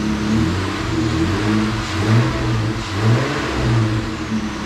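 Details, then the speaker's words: 2020 Jeep Gladiator 3.6 after a cylinder 2 misfire (code P0302): with the failed coil pack replaced, the deep, even engine note climbs and falls smoothly through each rev with no stumble or skip. "so it turns out that the rip coil pack was the issue"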